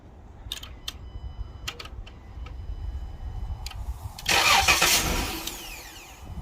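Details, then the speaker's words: 2012 Dodge Grand Caravan no-start: starter cranks, engine catches for a short ragged sputter and dies; fuel pump not running, fault traced to the fuel pump relay in the TIPM fuse box, before bypass fix. "So see how it kind of sputtered and then stops? So that's the issue that we're having. And the fuel pump is not on."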